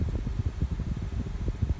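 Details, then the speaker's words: 2001–2005 Honda Civic idling with AC on after a new serpentine belt was fitted and tensioned, power steering pump left off: steady low engine hum with no squeal; an earlier squeal came from a loose belt jittering on the pulley. "last time it was making a terrible squealing noise and that was because the belt didn't have enough tension it was like jittering on the pulley which made a very high-pitched noise so it's not doing that anymore because I added more attention into that be"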